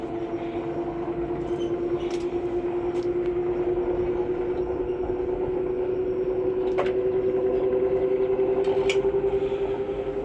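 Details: Samsung 6 kg washing machine after bearing and starter replacement, test run: a smooth whir climbing to a full 1,400 rpm spin with no rumble or grinding. Normal high-speed spin.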